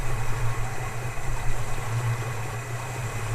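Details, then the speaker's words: Holden HK idling, cold day, after half a cup of dishwashing liquid added to the cooling system for flushing: deep uneven loping idle with rolling low rumble, no knocks or squeals, typical big-duration cam; runs fine. "that'll do it sounds like you've got a cam in there"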